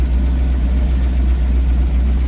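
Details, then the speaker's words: Simca Marmon 4x4 just after a fuel feed problem was fixed and the top hose refastened; it started in gear and idles with a deep, even rumble and no misses or knocks, though smoke is coming from the fuel pump wiring in the battery box. "So, that started in gear there, and that sounds healthy, except there's smoke coming from the battery box."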